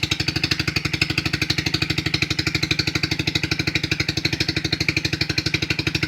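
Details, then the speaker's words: 2008 Hi-Bird 200cc four-wheeler just after a cold start, choke pushed fully off: a quick, even single-cylinder putter at about three beats a second, steady with no stumbles or knocks; normal idle. "Push it all the way down. It's completely off the choke. Idling just"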